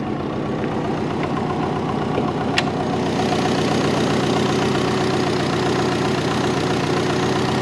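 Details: Twin/compound-turbo Subaru Forester, warming up before first drive since new drain and heat shields: steady even idle with no misses but noticeably higher than normal; owner suspects a vacuum leak, also not hitting boost targets.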